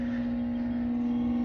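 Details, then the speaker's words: 1960s (about 1965) Pemco 175 watt mercury vapor NEMA dusk-to-dawn light powered via alligator leads: loud steady harsh buzz from the ballast, with disintegrating paper inside; owner suspects a loose coil. "I was thinking it was just going to be a not so loud hum or buzz, but that's quite noisy, this one actually, especially with all that paper and stuff disintegrating inside of it, and I can hear that vibrating and buzzing from it as well."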